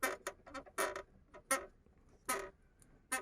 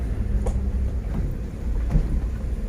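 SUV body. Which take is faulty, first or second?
first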